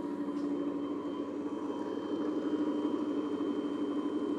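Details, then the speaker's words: Motor for a restored bandsaw, nine-wire, wired for low voltage, rated 1725 RPM, bench test spin-up: steady even hum with a clean constant tone, no knocks or rubbing; normal running. "we're gonna test this motor and just make sure that it spins up and runs but this looks real promising and I'm just going to plug it in [Music] sounds good"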